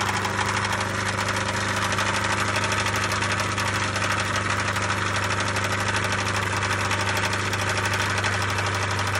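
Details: 1999 MerCruiser 3.0 marine engine at steady idle with a regular light knock, about three per second, over the engine note; source of knock undetermined.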